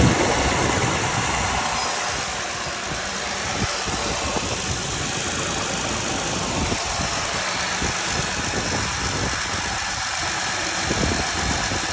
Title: Is this injector chatter or lifter tick? 55k miles.